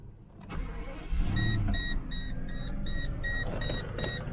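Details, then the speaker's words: 1995 Mercedes S600 V12 (Japanese import, about 30,000 on the odometer) starting: it catches almost instantly and settles to a smooth, even idle with a light chime overhead. Air pump and pulleys are quiet, which is normal and healthy. "engine is running starts right up always air pump is quiet no noises from any police quiet very nice engine runs really you barely feel it"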